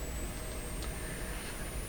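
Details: 1929 Templetone radio speaker, microphone close up: very faint, thin high tone slides slowly upward over room hum; barely audible because the cone is detached from the voice coil.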